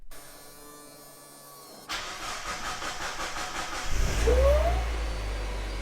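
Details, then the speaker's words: Previously abandoned Mazda Miata after fixing its unpowered fuel pump, phone placed by the fuel pump: the pump did not cycle on the first key-on, then primed after the key was cycled. A steady pump buzz, then the engine cranks and fires quickly into an even idle. "turn the key off and back on a did Prime and then it fired right up not really sure what that's about but the fuel pump works and the car just started"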